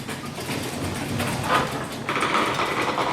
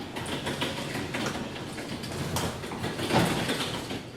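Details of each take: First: Garage door after maintenance with silicone lube on the spring pulleys, lowered: a rolling rumble, then a thin, steady squeak partway down. A creaking hinge on the door is suspected. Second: Garage door disengaged from its opener and raised by hand after lubricating the spring pulleys: smooth rolling rumble as the door travels up, with no squeaks or creaking from hinges or rollers. The door runs quietly.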